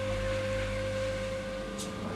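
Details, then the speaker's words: Main Eco 30 combi boiler after replacing the expansion vessel, PRV and air vent: steady, even hum with constant mid tone, no knocking or kettling, still heating the reservoir after the hot tap is turned off. Hot water confirmed; normal operation. "I can confirm I have hot water in the bathroom. Even though I've turned the tap off now, it's still continuing to heat the reservoir."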